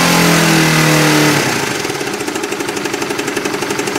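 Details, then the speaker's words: Oscar motorcycle engine idling with a steady hollow knock about four per second ("kelotok-kelotok"), intermittent and alternating with normal running, present for about seven months to nearly a year; owner first suspected loose body panels; engine knocking. "Kadang terdengar suara kelotok-kelotok, kadang suara mesinnya itu normal gitu loh."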